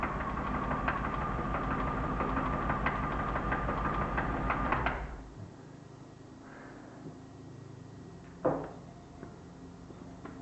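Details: BMW E36 323i, M52B25 engine, 140,000 km, at idle: steady knock about three times a second, unchanged as each ignition coil plug 1–6 is pulled in turn, so rod bearing failure looks doubtful. Engine knock, cause unconfirmed.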